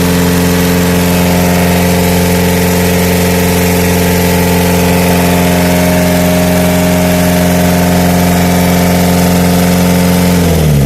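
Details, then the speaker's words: 2001 Renault Scenic 1.9 DTI diesel after water pump replacement and coolant bleeding, run up to normal operating temperature with the fan checked and no leaks: smooth, steady diesel clatter at idle with no knocks, whine or misses, then cut off. It idles normally. "on a démarré la voiture on a vérifié que le ventilo et tourne bien et qu'il n'y a pas de fuite"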